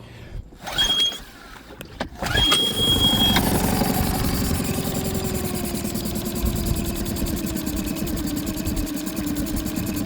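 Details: Boat outboard right after new or cleaned injectors were installed and the fuel bulb primed: brief cranking, then it catches right away and settles into a steady, even idle; healthy start.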